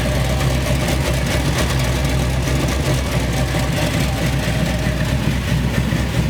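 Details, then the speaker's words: Chevy C10 V8 after a new wiring harness, injectors and MAP sensor: a low, loud idle with an uneven, lumpy beat that never settles; a rough idle from a vacuum leak, with O2 sensors reading wrong. "So, after checking the truck out, there seemed to be some kind of vacuum leak that was making the idle act up on this truck. When you first turn it on, it started off good, but then after a few seconds, it started tripping out."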